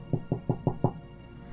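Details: Five firm, dull knocks about a fifth of a second apart on a newly fitted narrowboat porthole window, with no buzz or rattle after them, unlike the other rattly windows; this window sits solid in its frame.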